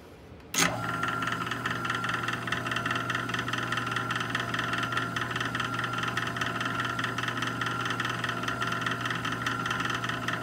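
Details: Jet 1220 wood lathe switched on and running: steady motor hum with a faint knock about once a second.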